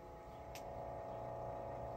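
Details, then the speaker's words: Hitachi HT-324 turntable: loud steady hum and buzzy drone from the motor, probably dry bearings; speed constant, plan to remove motor and oil top and bottom to cure the noise. "Now, I'm going to try actually taking the whole motor out and repacking it from top to bottom. It says to oil it from the top, but I'm pretty sure it probably needs oil on the bottom too. And that should get rid of that noise."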